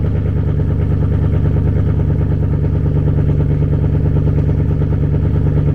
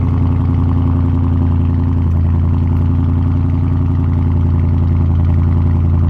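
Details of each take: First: Chevrolet Camaro 2SS V8 idle: uneven, choppy beat with slight stumbles in the lope; owner blames StabiliTrak being on for the misfiring and sputtering, cause unconfirmed; misfire at idle. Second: Dodge Charger Scat Pack V8 cold start: deep, steady, even lumpy rumble with no knocks or ticks, loud exhaust; normal cold start.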